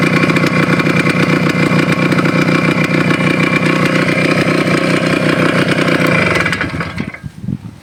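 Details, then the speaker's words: Suzuki Shogun two-stroke with NPP piston, 1.25 oversize bore, seized again; buzzes evenly at fast idle then cuts out, without the usual seizure knock, so still rideable. "Seize ಆಗಿದ್ರೆ ಹೆಂಗೆ sound ಬರುತ್ತಲ್ಲ ಆ ಥರ sound ಬರ್ತಾಯಿಲ್ಲ ನೋಡಿ."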